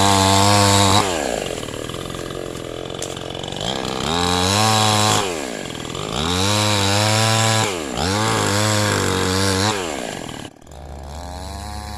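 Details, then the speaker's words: Cheap 977-baht Shopee "5200"-model two-stroke chainsaw with small chain and bar, cutting wood: revs climb and hold strong through each cut with no bogging, dropping back between cuts; pulls cleanly, healthy. "การทดสอบเบื้องต้นนะครับผมพี่โตก็รู้สึกว่าสามารถตัดไม้ได้จริงนะฮะแรงดีนะครับผมกำลังนี่ไม่มีตกเลยนะครับ"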